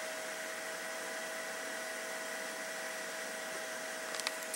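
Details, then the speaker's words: PC with NZXT Sentry Mesh fan controller, stock CPU cooler, graphics card intake turned up and CPU intake down, front fan on: constant high-speed whoosh with steady whine; CPU fan spinning hard and loud, exhaust fan helps little. "if we turn up the graphics card intake but turn down the CPU intake things start spinning up even when the front is turned back on"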